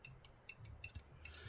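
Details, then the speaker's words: Pinball vertical upkicker (VUK) normally open switch on a King Kong machine, after adjustment: crisp sharp clicks, a handful a second in a quiet room, each open and close distinct; switch working properly. "That's the key. Making sure that switch is actually opening and closing the way that it should. It should be a normally open switch."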